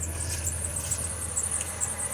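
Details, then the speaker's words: 2009 Workhorse W62 Snap-On truck running; faint high chirps repeat quickly over low engine rumble; owner thinks a belt is squeaking a little, not confirmed; squeak while running. "sounds like we've got a belt squeaking a little bit."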